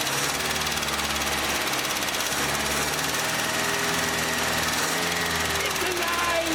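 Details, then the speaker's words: 1967 International Scout 800 revived and running: a loud, rough rumble with a fast, light ticking and no misfire. It may be valve lash that could be adjusted out, but this is suspected, not confirmed. "that just sounds like maybe a little bit of valves you could probably adjust the valves out of that doesn't seem to be missing that's fantastic actually"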